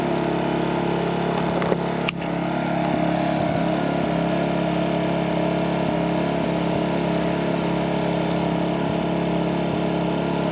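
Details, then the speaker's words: MaxPeedingRods 3200 W inverter generator, eco mode off, at full speed; about 74 dB with exhaust pointing toward listener; loud, steady drone, no misses or knocks; normal running. "we'll say about 74 decibels with the exhaust pointing towards us"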